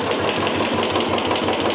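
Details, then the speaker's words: Royal Enfield Bullet just started after hydraulic tappet replacement and fresh oil, head top cover off, oil circulation reaching the top. Steady even single-cylinder idle with a light regular valvetrain tick, no knocking; sound should be smoother once the cover is fitted. Normal idle. "Okay okay మనకి head top వేస్తే sound అనేది ఇంకా smooth అవుద్ది."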